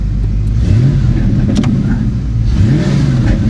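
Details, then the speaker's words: Engine revs then briefly falters and catches again, a stumble under throttle that also occurred when headlights were switched on; persists after reconnecting a ground wire suggested as the cause; cause not found. "It also doesn't seem like No, there it is. Yep. still. Yeah, she's she's still got problems."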